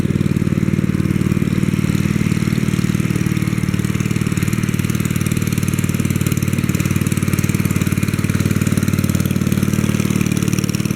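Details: 1964 Wheel Horse 704 Kohler single-cylinder after fixing rod knock from worn rod and crankshaft (crank still 0.002 in out of round): even, steady low thump, no rod knock, lifters tapping, belt flapping against guard; normal idle.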